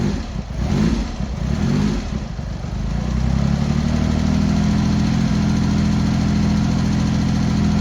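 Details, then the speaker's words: Cold Triumph Hurricane X75 triple, rebuilt carbs just refitted, on throttle stop with choke still on, pilot screws thought set about 7/8 out: catches after kick into slightly lumpy, uneven choked idle; needs tuning, possibly richening, suspected not confirmed; uneven idle. "We're not on the throttle stop. We're on the throttle stop there, but we've still got the choke on. Probably do need to give it a bit of tune."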